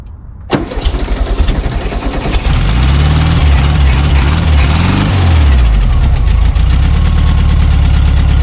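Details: Abandoned 1974 VW Super Beetle after new points, condenser, rotor, cap, plug wires and wiring repairs: cranks briefly, catches, blips and settles to steady even idle; oil and generator lights out, normal running.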